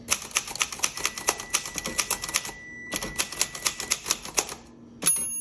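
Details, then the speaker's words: 1962 Royal Dart typewriter, a basic model with no tabs: crisp, even keystrokes about four per second and a bright margin bell ring. Normal typing with a working margin bell. "Let me do some typing so you can hear it, and I'll show you the margin release."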